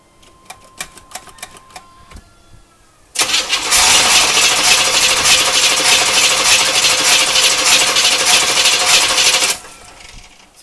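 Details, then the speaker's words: 1980 Chevrolet C3 Corvette, non-runner, new distributor cap, ignition module suspected: about six seconds of harsh cranking that sputters, briefly catches and dies; has spark, owner suspects bad fuel pump. "you guys hear it kind of sputter at the beginning that tells me it's got spark"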